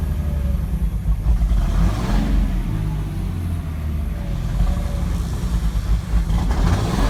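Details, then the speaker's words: 2006 Cummins diesel, symptoms appeared suddenly: low idle with uneven, lumpy beat surging and sagging every second or so, not a lope tune; rough idle, owner suspects a bad injector. "So I think I have a bad injector."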